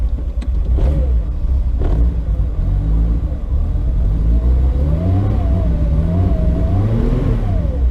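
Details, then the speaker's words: VW Corrado on first startup in years (build begun 2014), no tach, owner hoping the thermostat works: engine hunts and surges with uneven blips, sagging as if about to stall; it won't idle or drive but starts. Rough cold idle, cause unknown. "God damn. Does not want to idle or drive. Starts though."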